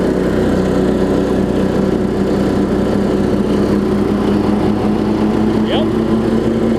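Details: Weed Eater riding mower with a 16.5 hp Briggs single-cylinder engine. Steady, even drone at constant speed with no misses or surging. It runs well and drives.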